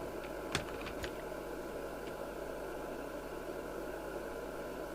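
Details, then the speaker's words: Midland 77-095 UK FM CB radio on the bench during service alignment: steady hiss, faint humming tones and a couple of clicks come through with the volume at zero; the receiver leaks noise, blamed on cheap design. "but can you hear the racket I've got no volume on but there's a real Racket and this is what you get with these"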